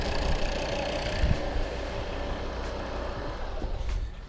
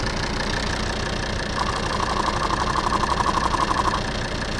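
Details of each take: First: Volvo P3-platform diesel after fixing a loud knock near the injection pump: even, steady idle with a low rumble and no knocking or ticking; no extraneous noises remain. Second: Volvo P3-platform diesel (XC70/XC60/S60/S80) idling with a loud, quick, regular tapping about four per second that seems to come from the injection pump area; stops when a vacuum hose is pinched, traced to a failed vacuum check valve.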